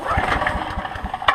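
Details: Ridgid 5700 watt generator, sat about 6 months, cold start on aged gas preserved only with Stabil; quick even chuffing pulses as the small engine catches and settles into a steady run; normal cold start.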